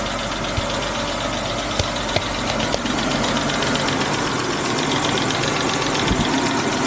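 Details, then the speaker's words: E60 BMW started after sitting at least two weeks with a dead battery, after a trickle charge: warm idle steady under cooling fan roar, faint light ticking, no knock; idle dropping slightly lower; all-wheel-drive malfunction and check engine lights on. "the fans on the idle sounds pretty good oh idle's getting a little lower"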